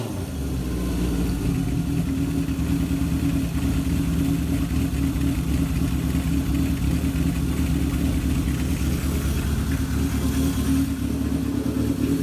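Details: 1978 Kawasaki KZ650 C four-cylinder, revived after at least 5 years unrun, during carb vacuum balancing with dampers: steady, even burble at a raised 2000 rpm idle, no misses or hunting; normal fast idle, carbs balanced within about a quarter inch.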